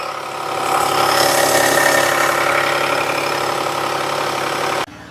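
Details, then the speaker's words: 2019 Jeep Cherokee with low power, P0171/P0174 and low fuel pressure, after fuel pump replacement with pressure improved: steady idle with a busy mechanical rattle about four ticks a second; engine suspected of internal issues. "That engine sounds like it's got some internal issues."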